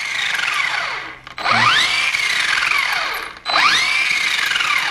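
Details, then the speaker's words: RedCat Kaiju RC truck after rebuild with a smaller pinion fitted to ease overheating: high whine rising and falling with throttle bursts over motor hum; some gear noise but gear mesh with the plastic spur is perfect. "got some gear noise, but see that? That's perfect gear mesh."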